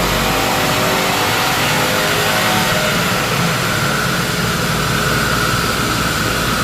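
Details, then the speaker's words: Subaru EJ255/EJ257 turbo on dyno, warmed up, low-boost wide-open pull after fixing cylinder 2 misfire (coil pack; customer-installed plug found broken). Loud, even, unbroken roar, no stumbles or popping; cleaner air-fuel, more power; firing on all cylinders. "but there was all kinds of wonky misfires going on earlier. So you can see through here, way smoother. The air fuel is much cleaner."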